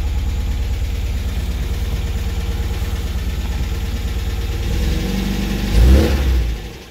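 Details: MGB GT engine running cold at idle: fast, even light tapping over the low rumble, then a short blip; tapping cause unknown.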